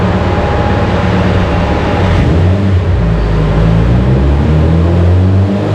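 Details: Subaru Forester STI with stock longblock, Precision 6870 rotated turbo and new OTL coil packs, warm-oil dyno pull (earlier 554 at seven pounds): engine note stumbles and breaks up while AFR goes lean; ignition breakup.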